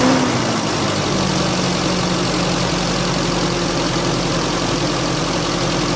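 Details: Car engine after the mass airflow sensor cleaning problem: steady, even idle with no hunting; seems fixed, earth wire also suspected as a cause.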